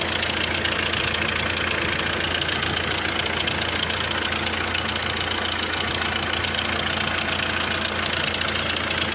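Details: Hyundai i20 diesel at idle with a sharp, fairly regular knock over a steady hum, from a knocking injector nozzle.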